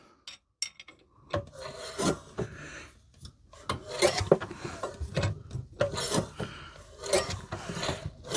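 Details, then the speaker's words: 1930s two-stroke mower engine, previously seized, freed with oil and turned by hand: slow, uneven scraping rasps with a metallic ring. Bent flywheel fan blades are catching on the leg. "That metallic noise you can hear as this fan is slightly bent. Ah, that's this fan blade here. And this fan blade here. It's catching on this bloody leg."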